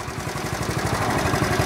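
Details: 1970 Honda Trail 70 running off the magneto without battery, baffle still in exhaust, fuel lines and clamps replaced; quick even putt-putt roughly a dozen pulses a second, building with speed, normal running.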